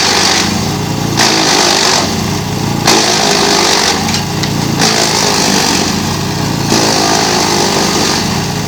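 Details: GreenMech Arborist 130 wood chipper on dull blades: engine drones under load while material feeds in long rough tearing bursts rather than crisp cuts; productivity reduced but no downtime.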